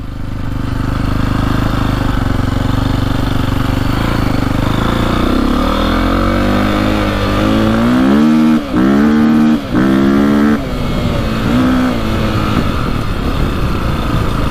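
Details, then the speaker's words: 2002 KTM 400 EXC (sold as a 450), warmed up after a fix for bogging, misfiring and hitting the rev limiter early: revs climb cleanly through quick blips without bogging and now reach the limiter at the right point. Runs normally. "sounds a lot better you can hear it hitting the rev limiter at the right time unlike last time"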